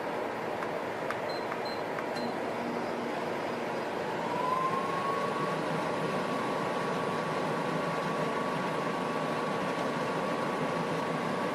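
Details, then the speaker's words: DeLonghi Pinguino portable air conditioner, temperature lowered: steady fan rush, then a faint tone rises and holds as the compressor kicks on and air turns ice cold; normal compressor start-up. "Now that is ice cold right there. You can hear the compressor going."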